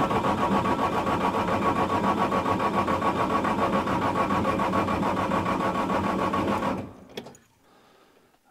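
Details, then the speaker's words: Bobcat S175 diesel skid steer on a jump box after no-power-to-cab fault, battery reading 12.2 V with possible bad cell, about 35°F cold morning, glow plugs cycled; steady even cranking about seven seconds, smokes but never fires, crank no start. "okay still nothing but I think we've got since now that I'm back feeding everything is working um with my jump box on there"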